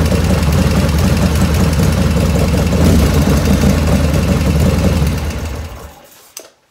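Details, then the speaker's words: 1985 Harley FXR V-twin with S&S lifters, after float setting, warm idle: light ticking over the beat, quiet when cold, growing as oil warms, rear intake lifter noisiest; hydraulic lifter tap, not oil restriction. "When I first started up, no lifter noise at all, dead quiet. And as it's warming up and the oil's warming up, I'm getting more lifter noise. So I know it's not oil restriction or anything like that. It's lifters, it's those S&S lifters."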